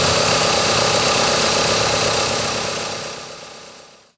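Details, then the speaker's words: 2000 Mitsubishi Galant with SOHC 4G64 engine, after valve cover gasket replacement; even, steady idle with no top-end ticking before shutdown; normal idle. "t you can hear it sounds great you don't hear any ch ch ch ch ch it's not it's pretty quiet"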